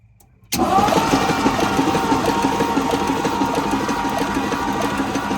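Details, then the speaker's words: 1957 Lincoln Premiere, first crank after the starter was jumped at the solenoid: the engine spins over at an uneven, lumpy pace with no clean firing. One valve is still stuck. "I still got one stuck valve but she turns over"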